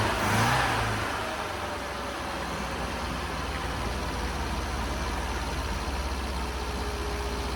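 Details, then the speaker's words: Long-unused Scamp started with a boost pack on its weak battery; catches with a brief flare, then settles into a steady, even low idle with no knocks or misses. Owner suspects it may need a new coil and spark plugs. "finally a little bit of success uh yeah just needed the Boost pack on there just to then it just sparked into life"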